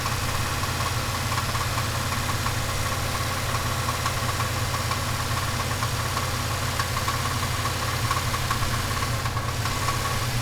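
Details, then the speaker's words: Turbocharged 5.3 V8 Chevelle engine at steady idle, with an irregular light metallic rattle of roughly a couple of ticks per second over the drone. The rattle was faint at first and is growing louder with driving; its source is undetermined. "when it first started it was pretty faint and as time go I just kept driving it I didn't care um it's getting louder and louder"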